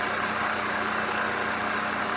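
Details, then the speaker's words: Maple sap vacuum pump running on a light-flow day before boiling: steady, even hum with no knocks, surging or squeal; pump running smoothly and pulling normally. "on va aller voir la pompe la maille ont changé ça pour de la pluie je sais pas qu'est-ce que je préfère donc à la pompe ça va vraiment bien"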